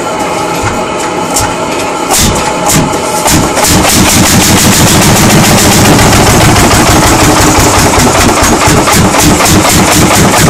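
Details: 1940 Lanz Bulldog single-cylinder tractor engine, first start after 40 years, phone recording: loose uneven thumps at first, then firm steady pops about four per second; engine started and runs normally.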